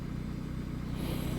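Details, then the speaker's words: Opel Agila 1.2 16v petrol, about 136,000 km, on choke after fuel pump reassembly and penetrating oil: smooth, stable idle, pump barely audible with only a light running sound, no whine or misses; normal idle. "bah écoute elle est plutôt stable la pompe bizarrement on l'entend même plus on entend un léger fonctionnement pourtant elle est ouverte et tout bon"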